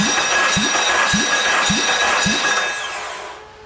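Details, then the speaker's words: Spare Honda K24 engine bought as a pop-in motor, compression test while cranking: thuds about three a second with one beat lighter; readings of 190 and 170, but one cylinder stops at about 50, a blown motor. "Write that down. 190. This one's at shit 170. It literally stops at like fucking 50. You can hear it."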